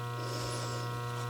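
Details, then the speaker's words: Pinball lock relay with a new coil, energized on AC. A steady low hum with a faint buzz, like a tiny transformer, stays unchanged; some hum is normal but it shouldn't force talking loudly. "sounds like a little tiny Transformer something not the you know those of us that grew up in the'80s not that kind but um it has a it has a hum to it and it will have some kind of hum but it shouldn't sound where I have to talk loud"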